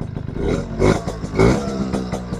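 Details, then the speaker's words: Suzuki RC100 two-stroke motorcycle, short throttle blips: crisp, rapid crackle rising and falling cleanly, engine still runs well; normal running. "nelpon garing mesin masih enak ini guys"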